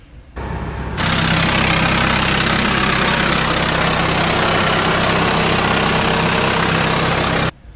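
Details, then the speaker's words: TDI diesel with a single-mass flywheel and single-disc clutch, before a DKM twin-disc clutch install. Loud idle with a constant harsh chattering rattle over the engine beat. Gear rattle at idle. "so before as you can tell I put a little clip here you can hear the single disc at idle"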